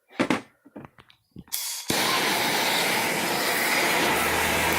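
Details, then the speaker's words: Two-stroke exhaust pipe being pressurized with compressed air (under 80 psi) and heated with a torch to push out dents: after clanks, a loud steady hiss from a leak strong enough to nearly blow out the torch; compressor left running to hold pressure. "coming out enough to blow my torch out. This dent's almost gone. I'm just leaving the compressor on and the valve open now because it's leaking."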